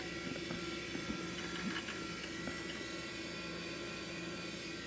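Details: 12GB Quantum Bigfoot hard drive in a Compaq Presario 5630 (400MHz Pentium II), starting up Windows XP as the boot drive: quiet steady spin-up hiss with scattered light head-seek ticks, the Bigfoot's distinctive sound; normal startup.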